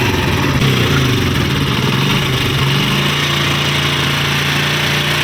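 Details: Honda CD70 single-cylinder motorcycle engine at idle before repair, with a busy, rattly mechanical clatter over the exhaust beat; abnormal engine noise.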